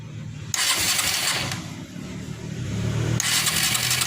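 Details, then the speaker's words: Suzuki Shogun 125 R motorcycle, lighting coil and pulser tested good: two bursts of steady starter cranking, the engine never fires; no spark because the CDI is not sending spark. "Nah, di CDI ini tidak mengeluarkan percikan api ya."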